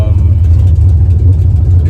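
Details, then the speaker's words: Car just back from the shop with a new fuel pump (tank found clean) hums low and loud with an uneven, fluttering pulse. Still below optimal fuel pressure and not running smoothly. Rough running. "still not at optimal Fel pressure and I can definitely feel in the performance that it's not uh running as smooth as it should"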